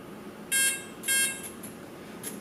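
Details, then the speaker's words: Align RCE BL80X/BL50X ESC powered up again after transmitter setup, with the Beast plus initializing: two short high beeps about half a second apart, then quiet. Normal ESC arming. "just to make sure that everything boots properly I'm going to go ahead and plug the battery back in wait for the Beast plus to initialize itself"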